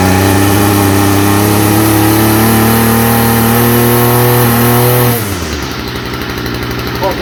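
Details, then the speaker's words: Stihl FS45 two-stroke trimmer with faulty original carburetor, started on spray: howls at high revs with wavering pitch, then sags and stumbles to a ragged low idle; rough running, carburetor to be replaced. "It's uh doing the same thing as it was the other day. I mean, I like I said, I could use that carburetor if it was my personal."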